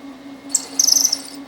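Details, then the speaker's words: Precision Matthews PM-1228 lathe DRO install, part not rigidly clamped: low steady hum with about a second of shrill screeching bursts, cutter chatter from non-rigid workholding. "I don't have this thing too rigidly supported because I can't get a clamp in here so hopefully the cutting forces are not so high where this is a problem"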